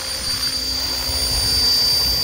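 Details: Small single-rotor helicopter hovering, heard for comparison with a DJI Mini quadcopter; steady high-pitched motor and transmission whine with a soft rhythmic thump and blade bark from the main rotor; normal hover.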